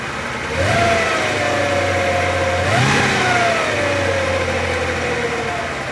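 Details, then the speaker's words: Porsche 928 V8, warmed up, idling on driveway with throttle blips: mid-pitched whine rising and falling with engine speed; persists with auxiliary air regulator unplugged and belts off, owner suspects torque tube, next step detaching flex plate. "probably the next stage in trying to locate this whining noise what I'm going to do is detach the flex plate so I'm going to pull the two apart so I can isolate whether the windings from the engine or from a torque tube"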